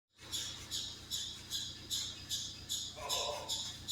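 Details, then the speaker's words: Car with overheating complaint: sharp high chirp about two and a half times a second over a quiet engine, tracking pulley speed, likely from the accessory drive; water pump suspected. "Customer states a weird noise. Customer states weird noise. There it is."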